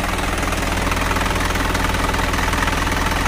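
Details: 4HF1 diesel just rebuilt after knocking from a broken oil pump (new oil pump, main bearings, piston rings, liners, thrust washers): steady, even idle clatter about two and a half beats a second with no hard knock; sounds healthy.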